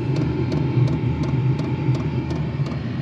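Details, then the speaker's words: Diesel heater in a cargo trailer camper conversion, first test run while still cold, powered by a small possibly weak 12 V battery: faint even ticks about 1.5 per second over a steady low fan roar, the fuel pump metering normally as it ramps up. "I found a little tiny battery that I had that's probably bad but it said 12 volts for now it is running it's still cold but you can hear a I think that's the fuel pump maybe this is kind of ramping up"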